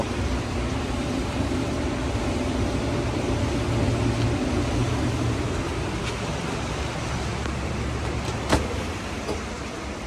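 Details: Maytag commercial dryer MED5630HC1, which ran but did not heat, after replacing the 3387747 heater element: steady low drum rumble with even airflow hiss and no thumps, squeaks or scraping, running normally with the new element.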